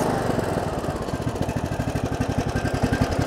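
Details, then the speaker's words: Briggs & Stratton Intek 17.5 HP lawn tractor engine after carburetor cleaning: still uneven hunting single-cylinder chugs, about two a second, never settling to a smooth idle; slight improvement only, owner suspects something else is wrong with the motor. "well that's an improvement not much different but there's an improvement"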